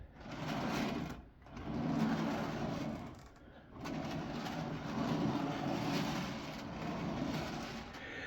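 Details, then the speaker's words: Rockler lazy Susan turntable bearing without grease, spun by hand: rolling rattly clatter of clicks and clunks; greasing the bearing quiets it. "you can kind of hear the bearings clicking clacking and clunking in there but it's not a Apples to Apples comparison"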